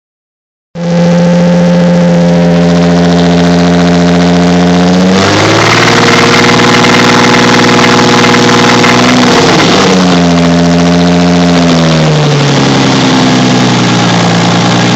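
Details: Toyota 2JZ-GTE built petrol six, only 50 miles since build, idling and revving with a steady rhythmic knock; owner unsure whether rod knock or piston slap, cause unknown.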